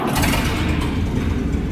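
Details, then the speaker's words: 1927 American LaFrance fire engine with Buda engine, after transfer case reseal and new idler/main shaft bearings, very cold day, off choke: catches right away into a deep, even beat with no misses; normal quick start. "I want you to hear how fast this thing starts up now. I just started it up to move it here in position to do the video, and it had been sitting."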